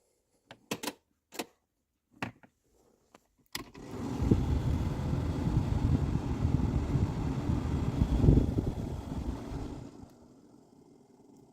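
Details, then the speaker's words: 2001 TJ Mitsubishi Magna cabin blower on low speed: a steady whir with a constant ticking and weak airflow from a worn blower motor, to be replaced with a Pajero NM/NP motor. "secondly it's making a lot of noise so I'll just demonstrate that now for you the constant ticking noise particularly when it's on a lower speed so they're both symptoms that it needs to be changed"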